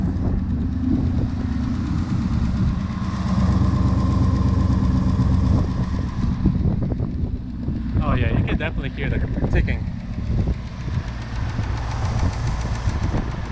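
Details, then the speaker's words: 2018 Mustang GT V8 after aFe intake install, at idle: steady rumble with light quick ticking from normal injector firing, heard near the filter; nothing mechanical. "it's not as bad it just ticks up here but here's the filter you can sort of hear the ticking out of those the injectors firing because it does sound like that"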